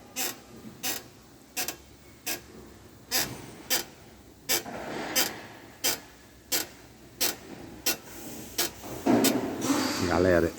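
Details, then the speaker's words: Jeep Compass T270: sharp, repeated creaks about every 0.7 s as the car is rocked, also heard pulling out or entering the garage, from the oversized engine skid plate (protetor do cárter) rubbing at its 10 mm bolts; fix is loosening, lubricating and replacing bolts. "Vou mostrar para vocês a causa do barulho por baixo, tipo um rangido. Você mexe, dá um rangido na hora de sair, na hora que você vai entrar na garagem. Coisa simples. É só o protetor."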